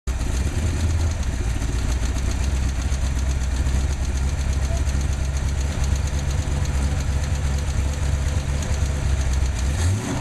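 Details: Ford 289/302 V8 (Falcon) at idle: deep rumble with a fast, regular light ticking over it.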